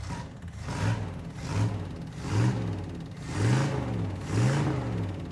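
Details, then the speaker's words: 1977 Dodge Adventurer 318 V8 with new carburetor, first run in about two years: deep rumble swelling and falling about once a second as the throttle is blipped, smooth and even; engine sounds healthy. "just can't get over how good it sounds I mean it's it's got to be close to two years since this was fired up"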